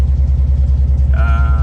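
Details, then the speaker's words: 2006 Nissan 350Z idling with check-engine complaint: deep, lumpy idle with uneven throb, one cylinder not firing; misfires on cylinders 2, 4 and 5, cause found as cylinder 5 coil disconnected and cylinders 4 and 6 coil connectors swapped. "se siente un misfire se siente como que si un cilindro estuviera Ah deshabilitado o en mala compresión o en no inyección no bobina no chispa algo habría que mirar eso"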